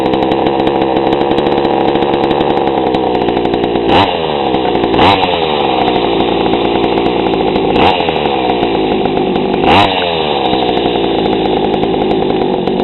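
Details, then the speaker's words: GoPed gsr40 two-stroke with 603 high-performance carb, leaned a quarter turn: low, uneven idle with sputtering blips every second or two; still too rich, idle too low. "yeah I leaned it out a quarter turn it still seems too rich and idle's too low"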